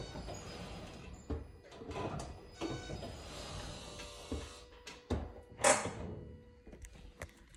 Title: Help, poping clicking noise when accelerating after braking. 2018 Toyota auris 84000 kms.